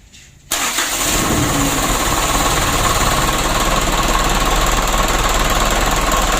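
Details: Mitsubishi 120 PS Ragasa diesel after fixing diesel fuel contaminating engine oil (nozzles, injection pump plungers) and refilling 9 L fresh oil: cranks, catches at once, settles into even steady idle, no misses or knocks; running healthy.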